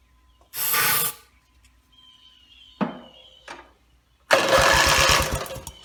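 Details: Rebuilt Briggs & Stratton mower (carb rebuilt and filling, timing dots aligned, valves seated, compression unknown) cranks in short bursts with quick regular compression pulses but never fires; gas later leaked from the muffler bottom, and the owner suspects it isn't getting fuel.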